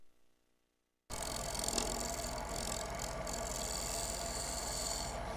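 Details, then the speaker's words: Live bowl turning on a lathe, gouge presented to the spinning bowl at about 45 degrees on the tool rest for a light truing cut: steady rasping cut with fast rough buzzing flutter; tool chatter from too aggressive a cut. "this cut is not really meant intended to remove a lot of wood so you can heard it kind of go in chatter chatter chatter chatter so I got a little bit aggressive with the tool"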